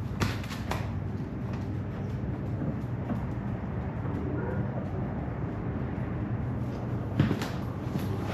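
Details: Toyota 1VD-FTV V8 turbo diesel from a 79 series swapped into an 80 series Land Cruiser, first fire-up after an ECU adjustment; deep, steady rumble holding an even idle, no knocks or misses: normal idle.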